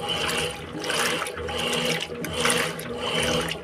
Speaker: antes ela tava fazendo esse barulho é na hora de agitar tava um barulhão bem forte aí ó acabou o barulhão esse barulhinho aí é o normal dela